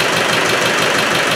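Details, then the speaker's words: Freshly rebuilt, reinstalled Land Rover 110 diesel after about 20 minutes running: rough chopping knock toward the back of the engine under the diesel clatter at idle; owner rules out the gasket, suspects excess back pressure or a ring broken on assembly, breather smoking. "i've got this running about 20 minutes something's not right you can hear it at the back it's like a chopping noise gasket can't be but there's something at the back"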